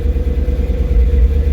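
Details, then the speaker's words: 1987 Chevy 1500 square body with a Vortec 350 V8, first cold start after sitting nearly 2 years on a ~11 V battery, oil pressure about 40: deep, even rumble clearing up, no ticking or knocking; normal cold idle. "Well, you can hear it, it's clearing up, so that's cool. This truck's always been a good running truck."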